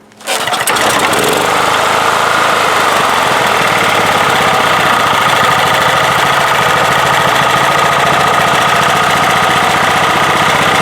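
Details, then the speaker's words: 1997 Honda EB5000 generator fitted with a cheap non-OEM carburetor: it starts quickly and runs with a busy, slightly uneven note, and revs lift when the intake is partly choked. The mixture is lean from too much air, fixed by taping off half the intake. "it's getting way too much air so let's choke it again and i'll show you what's going to happen when you starve it for a little bit of air"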